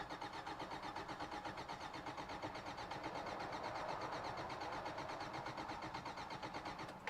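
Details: 1993 Toyota pickup: steady starter cranking at nearly three beats per second, the engine never catches, and no fuel pump priming stands out. Crank no start; owner suspects a wiring fault leaving the fuel pump without power, not confirmed.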